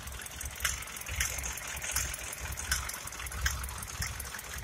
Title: Sprinter 208 D '98 Engine Knocking Sound